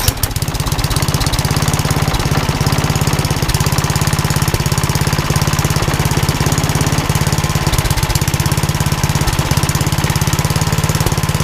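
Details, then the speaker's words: Old rusty Tecumseh 10 hp HM100 single-cylinder engine after a genuine Tecumseh carburetor replaced a knock-off one (knock-off carb or its corrosion blamed), muffler refitted: steady, even putter at fast idle with no misses or knocks; runs beautifully. "I'm really glad that it got you know it runs as well as it does runs beautifully"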